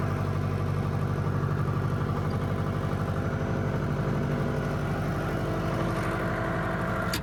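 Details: Bobcat rebuilt after a fire, started after restoration. Even, steady diesel idle with a smooth low rumble and no knocks or misses; sounds healthy.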